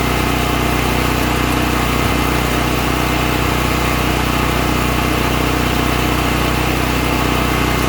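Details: All Power APGG12000GL 12000 W dual-fuel generator after carburetor cleaning for stale gas jamming the carb solenoid: steady, even drone with constant hum, no misses or surging; engine running smoothly and healthy.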